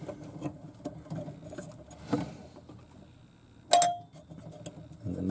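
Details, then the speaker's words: 1977 Williams Lucky Seven pinball machine chime, old unit before repair: plunger dragging on the metal, so a strike gives a flat, short clack dying almost at once instead of a ring. "As you can see, it's actually sitting a lot higher than the other ones because the other ones are dragging the metal. That's why they don't sound very good. And if you mess around with the plunger, one of the old ones sounds something like this."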